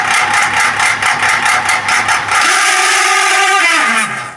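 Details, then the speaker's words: Exhaust fan whirs with a rhythmic scraping chirp on every turn and a raspy edge; the shaft bushings are dry and unoiled. "तो दोस्तों आप इस exhaust fun के problem को भली भाती समझ गए होंगे कि इसमें क्या प्रॉब्लम है"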